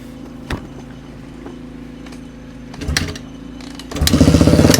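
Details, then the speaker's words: 2002 Honda CRF450R after repair: one or two kicks, then catches and barks into a loud, even idle; super loud exhaust, starts and runs fine. "Actually, I'm going to start it up for you guys real quick. This thing is super loud and it starts up pretty good. Usually like one or two kicks."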